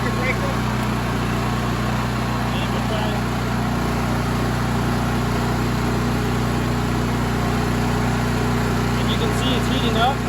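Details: Honda EM6500SX generator after new carburetor and battery installed (old carburetor bad from stale gas), just started, breaker off, no load: steady fast even drone, no misses or knocks, warming up; normal running.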